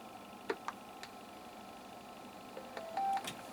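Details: Yaesu FTM-200 radio powered on from a power supply after an audio fault repair and PCB reinstall: a few soft clicks, then a short, clean mid-pitched beep in a quiet room; normal power-on.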